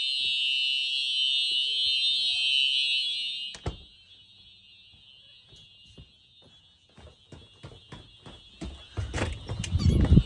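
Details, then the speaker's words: Simplex fire alarm system (4004 panel, 4903-9425 TrueAlert, 2098-9201 smoke detector) tested on continuous alarm, recorded from outside the building: loud steady high electronic horn tone, then outdoor footsteps and handling; fire alarm in continuous alarm. "Wow, listen to that thing. Wow, that is one loud alarm."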